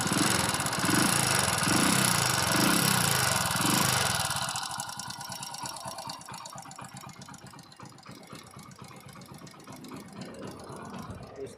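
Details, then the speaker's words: Hero Passion Pro motorcycle at idle after electric start: a sharp, even tick about three to four times a second from the head. It is tappet noise from a rocker adjustment that has worked loose; both tappet covers are opened to check it. "ये rocker सीढ़ियां का है। इसको adjusting करने के बाद मैं मिलता हूं। क्या है? ये कई बार ढीला हो जाता है। इसके कारण आवाज करता है।"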